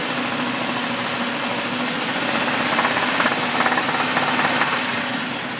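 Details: 2000 Jeep XJ idling petrol engine with a rapid, fairly regular knock, about three to four a second, from the motor; recently started, cause unknown.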